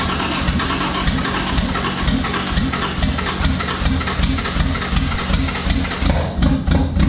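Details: Freshly built twin-turbo Honda J35 on its first start, fuel system primed, throttle worked by hand: rough, uneven idle with irregular thumps, dropping cylinders; misfire, suspected injector issue.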